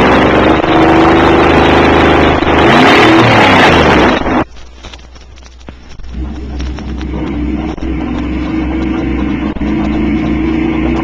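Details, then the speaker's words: V8 automobile engine with open exhaust system, recorded as an acoustical reference: deep, lumpy burble through open pipes with a quick rev blip, then a quieter even idle; sounds healthy, normal. "the first to be heard is a v8 automobile engine operating with an open exhaust system"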